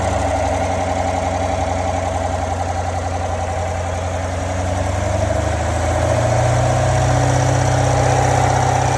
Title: 2017 C7 Corvette GS M7 Rattling Noise In Low RPM From The Engine Compartment